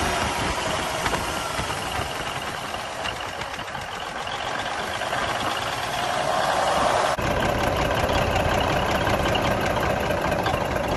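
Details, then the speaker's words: 1971 Peterbilt 352 diesel idling after water and debris were cleaned from the filter-to-injection-pump line: a rough, stumbling beat of about three pulses a second, a miss with a lazy throttle; owner suspects the injection pump. "It runs, it's got a miss. I think there's something going on with the pump. The throttle is really lazy."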